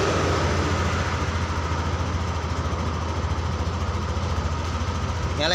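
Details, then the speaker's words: Yamaha NMAX 155 scooter that died and wouldn't start, now started using a healthier substitute battery: steady even idle with no misses or knocks; runs normally though MIL lamp stays lit, ECU sensitivity suspected. "motornya oh motornya nyala kita matikan ulang kita hidupkan ulang e lampu milnya tetap dia nyala terus nih enggak ngedip tapi motor udah hidup"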